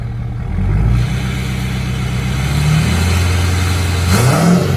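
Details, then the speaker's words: 2017 Ford Powerstroke diesel pickup just after changing fuel filters and water separator and fitting an SPE billet fuel drain: idle then a couple of quick clean revs that rise and settle without stumbling; runs healthy. "so let her idle for a little while and then uh yeah well give you a few little tiny wraps not really but kind of give it a little couple little rushes to make sure everything's good"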